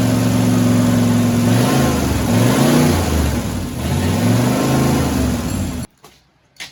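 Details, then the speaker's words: 1967 Mustang C-code 289 V8, four-speed, after a new fuel pump and filter: catches and revs unevenly, wavering and stumbling as the throttle opens. Owner says it has carburetor issues but hears no noises in it. "she obviously has some carburetor issues but she runs and we're happy with that I don't hear no noises in it"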